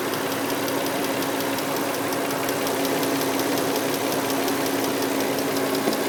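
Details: 2003 Nissan Murano with a recently started engine ticking at idle, fast and even over a faint hum; cause unknown. CVT fluid is new, oil is Castrol semi-synthetic, and power steering and brake fluid were recently changed.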